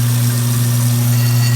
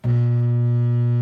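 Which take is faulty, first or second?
second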